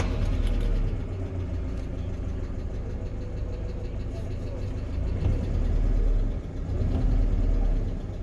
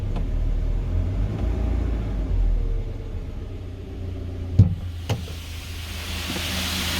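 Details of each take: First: 2020 GAZelle Business, UMZ-4216 EvoTech 2.7 aluminium-block petrol, only 823 on the clock: at idle a light quick tapping from the top end, one hydraulic lifter ticking, also at higher revs. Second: 2020 GAZelle Business, UMZ-4216 EvoTech 2.7, 823 km, warm at about 90–95°C after replacing one faulty hydraulic lifter that tapped when hot: even low idle rumble, no lifter tapping; problem solved.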